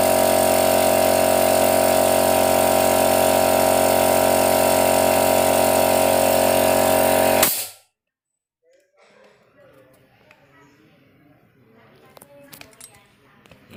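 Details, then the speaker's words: Used portable direct-drive air compressor, cover missing, outlet valve closed to test the automatic pressure switch: steady even pump drone for about seven seconds, then clean cut-off at 8 bar, the standard setting; pressure switch working normally. "Nah di sini sudah terlihat di angka 8 bar sudah otomatis mati artinya otomatisnya ini bisa bekerja atau masih normal walaupun kondisinya nggak ada covernya ya"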